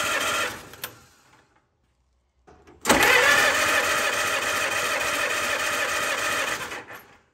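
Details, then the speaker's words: 1944 Allis Chalmers B tractor, sat many years, starter repaired (broken drive gear pieces replaced), cold: starter spins engine evenly and briskly about four seconds, no drag; normal cranking. "put it back together and it spun the engine fine just like it did here with the compression test with all the spark plugs out"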